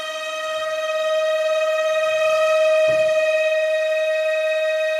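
A loud, piercing steady whistle holds one pitch with a slight flutter throughout, an old heater whistling hard as it fails.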